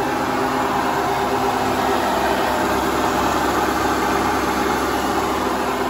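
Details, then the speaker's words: Hotpoint Ultima WT960 washing machine after a drum bearing change, on a spin test heading to 1600 rpm: a fast, even rushing whir holds smooth and steady with no bearing rumble or grinding. The drum join still drips and needs tightening. "I'm going to probably record again when it's at 1600 and we'll see what we think of the noise see if it sounds any better"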